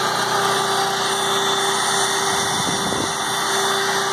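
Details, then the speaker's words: PowerIt 3800 W 4-cycle generator, 7 hp gasoline engine, idling after over half a year in storage and starting without issues: even, steady buzz, constant pitch, no misses or surging; idling cleanly. "I just want to make sure the generator burger started up pretty good for sitting already there we go guys start it up without any issues again"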